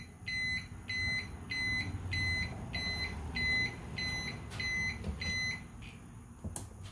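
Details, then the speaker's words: EZGO Express S4 golf cart: a new, quieter combo backup light-alarm, speaker stuffed and capped, tested at 3.5 ft. Muffled high beeps about 1.5 per second, steady pitch, read about 63 dB, close to the OEM speaker inside the center console; normal backup alarm. "all right so it looks like about 63 decibels which is real close to what the cart is doing now while the speaker is inside the center console"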